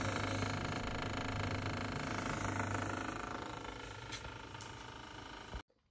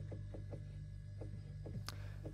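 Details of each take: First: Fridge freezer compartment: loud, rough rumbling with a fast rattling pulse, like a tractor, from the freezer fan motor catching on accumulated ice. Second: Fridge-freezer after fixing the freezer fan that made a loud tractor-like noise: steady low normal hum with a few faint light taps and one click, no loud rattle.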